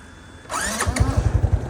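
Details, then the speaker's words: Restored SYM Sportrider 125i single-cylinder motorcycle after overhaul and a new fuel filter, checking if it still chokes: catches on first crank and settles into a steady, even thump at idle; starts and runs fine. "Okay, hidup senang Respon macam okey Mantap."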